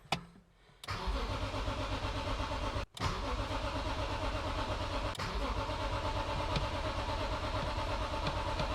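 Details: BMW E46 M3 after replacing old fuel with fresh, cleaning tank, new coil packs and spark plugs: starter spins engine steadily, about three pulses a second, but never catches; crank no start, cause unconfirmed.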